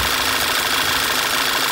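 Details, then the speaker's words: 2012 Volkswagen Tiguan after installing aftermarket PCV (oil separator) module and replacing its O-ring: even, steady normal idle, soft airy hiss, whistle and surging gone. "the aftermarket part works fine too so there's no issue with aftermarket parts"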